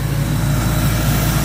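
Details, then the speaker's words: Ingersoll Rand 185 CFM air compressor with a John Deere diesel engine, warmed up and under load during a sprinkler blowout at about 50 psi: a deep, steady drone with an even low rumble and no knocks or misses; normal, smooth running. "today you're out smooth a compressor runs purring like a kitten"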